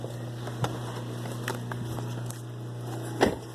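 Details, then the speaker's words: 2007 Mitsubishi Outlander: steady low hum with scattered ticks and a scrape from under the dash. Diagnosed as a worn blower motor, which is then replaced. "Sounds like the blower motor. Sounds like the blower motor."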